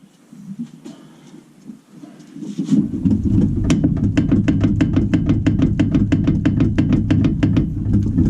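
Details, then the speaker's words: Carbureted car, front left suspension rocked by hand: sharp regular clicks about three per second over a low hum, felt just above the wheel; riveted ball joint ruled out, coil spring suspected; suspension knock. "не оно как будто бы чуть выше колеса где-то ГТО выше Коле как будто бы да"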